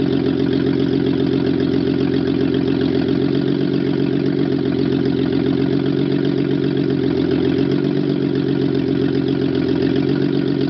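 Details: Mercedes-Benz W140 S320 at its first start after an overhaul: steady, even idle with a low smooth drone and no knocks or misses; normal idle.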